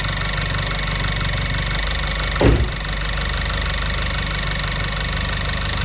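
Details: Audi A1 1.4 TFSI (CAXA four-cylinder petrol) idling for a few minutes after an oil change with about 3.5 litres added: a steady even low hum with no knocks or ticks apart from one brief thump. Normal idle.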